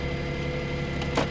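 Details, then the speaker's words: Cheap auction Smart car, three-cylinder, service-required warning, idling: uneven lumpy beat with faint hum on top, runs poorly and feels like it's misfiring; cause unclear. "No power steering. That doesn't surprise me. It does feel like it's misfiring."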